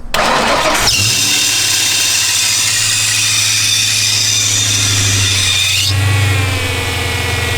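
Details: $800 Mustang race car started from a jumper pack after refitting the starter, battery believed dead: starter whirs briefly, then the engine catches and settles into a steady, even idle with a loud hiss.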